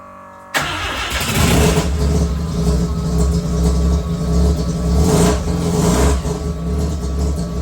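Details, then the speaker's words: Mazda 323 with 13B rotary engine that began running rough on the drive home after purchase; blocked fuel filter suspected: low, uneven idle that surges and sags, still poor when revved; rough low idle, cause unconfirmed. "So, as you can tell, it's idling really low, but even when you try and lift it, doesn't sound so great."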